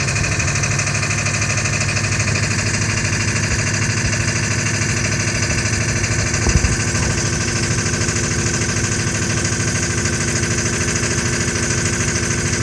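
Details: 2000 F550 7.3 diesel with a hard-start complaint at about 60°F: loud, steady idle clatter with an uneven knocking edge throughout; rough idle, owner says it needs new injectors, a possible cause.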